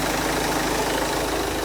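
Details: Peugeot 206 1.4 HDi diesel after tightening exhaust fastening to fix a leak: even, steady clatter at idle with no puffing or ticking from an exhaust leak; sounds sealed; normal idle.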